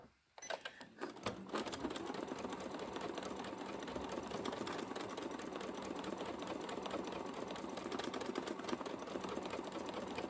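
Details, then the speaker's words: Free-motion quilting on a sewing machine with an open-toe darning foot: fast, uneven clatter from the needle area; darning foot set too high, a screwdriver fits under it, so it needs lowering. "now it's making that noise because the gap between the fabric and the foot is too much see I can get a whole screwdriver under there so I need to drop that foot"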